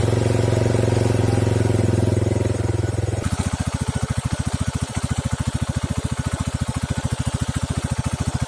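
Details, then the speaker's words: RUSI Flash motorcycle engine idling after a first-time DIY valve clearance adjustment; even, steady putter with no ticking or tapping, now quiet. Normal idle. "So ayan guys, after yung ating valve clearance ay tahimik na yung andal ng ating makina."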